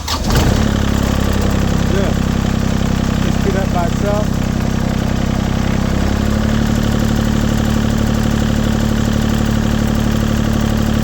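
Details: LeeBoy 1000 paver diesel that started then shut down, after fuel system repair, warm start with preheat: cranks briefly, catches straight away, settles to steady even idle with no stumbling, battery 13 V, oil pressure good; runs healthy.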